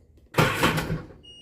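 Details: 2006 Sea-Doo RXP supercharged jet ski: brief clatter, then a steady high single-pitch beep before cranking, the normal hold-on tone, no fault; fluids checked, cranks right up with no issues.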